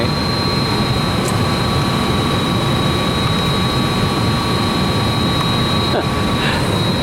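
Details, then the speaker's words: Cooling tower fans running on flat plate, chiller off, recorded from ground: thin steady high squeal over deep fan roar; loose fan belt slipping, needs tightening. "hear that belt squeaking up there we got fans on top of these uh towers and uh we're still we're not running the chiller but we're running the flat plate so sounds like I got a a belt that needs a little tightening"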